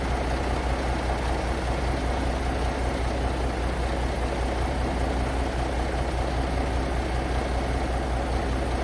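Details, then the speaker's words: Paystar diesel idling right after the radiator was rebuilt with new gaskets; deep, steady, even low rumble, no knocks or misses, air building (about 70 lb so far), running beautifully and not leaking; normal idle. "building up air. It's got about 70 lbs in it so far, but uh it's it's running beautifully. It's not leaking."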